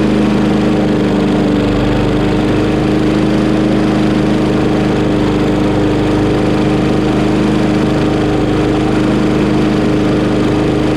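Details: Craftsman Briggs 550EX push mower after a new plastic carburetor replacement, shortly after a cold start, choke opened within 30 seconds: steady, even single-cylinder running with no misses, surging or knocks. Works fine.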